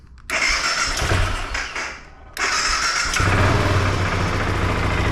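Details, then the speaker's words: Recently bought non-running 2005 BMW F650CS single, previous owner ran ethanol-free fuel only, first start after battery hookup: brief crank, then catches cleanly into a steady even idle without misses; sounds like a healthy 650, normal start. "Beautiful. Yep, sounds like a little 650. Doing its thing. Awesome."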